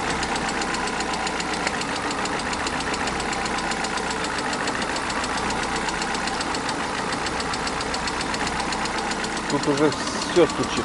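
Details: Engine (oil on spark plug wells and threads, heavy oil consumption, possibly overheated) at idle: steady idle with a quick, loose, irregular but persistent tapping knock; cause unknown.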